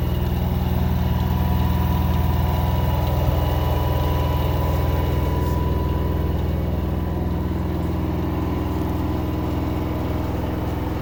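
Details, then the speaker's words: LG 10 kg front-load washing machine: steady low motor hum with a gritty rolling rasp like pebbles tumbling; vibration normal, noise from the motor. "Motor की आवाज़ है। जैसे जैसे तो कंकड़ जैसे घूम रहे हो साथ में।"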